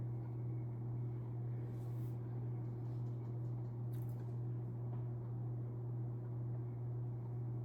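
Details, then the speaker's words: 1991 unknown-brand 42-inch hugger ceiling fan, model HC42 (60 W, 0.5 A), on low speed, about 1,901 CFM: low steady hum with faint even rhythm, nothing scraping or ticking; very quiet, barely heard, normal running. "Yeah, low speed this is very quiet. You hardly ever even hear this thing. You just barely feel the air movement on this."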